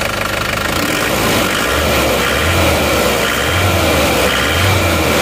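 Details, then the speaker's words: Isuzu Panther diesel after engine rebuild (one liner, piston rings, gaskets replaced) to cure smoking, hood closed, exhaust smoke now clean: steady diesel clatter at idle with short throttle blips, no heavy knock or misfire; normal rev and idle. "ini suaranya seperti ini ya Coba kita gas"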